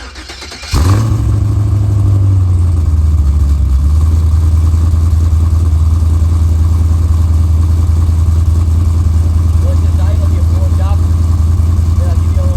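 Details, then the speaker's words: C4 Corvette with LS swap LQ4 V8, 2.5-inch dual pipes into dual 3-inch and Flowmaster Flow FX mufflers, before Borla swap: deep, loud booming idle with heavy low drone; muffler setup too open. "As you can see, she's pretty rowdy."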